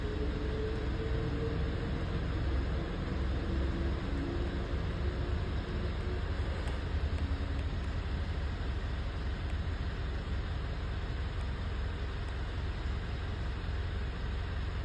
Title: Misfire engine Mitsubishi Triton checking the data list Engine